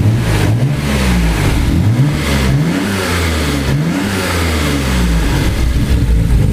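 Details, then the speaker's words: Nissan 300ZX with RB26 six-cylinder swap, just fitted with a new larger intake (Intake 2.0). Several clean throttle blips rising and falling, settling to an even idle; it runs and sounds good. "Just like that, we are back in business, man. Looks good, sounds good."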